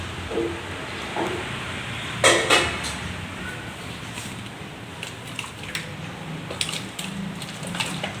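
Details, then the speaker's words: Samsung two-door inverter refrigerator that is not cooling, with an ice block around the evaporator fan behind the freezer, being thawed with poured hot water. Irregular sharp cracks and pops over trickling water as the ice breaks loose: a frozen evaporator. "Sudah mulai teman-teman ya, masih bunyi bertak-bertak, itu berarti esnya masih ada karena kaget kena panas."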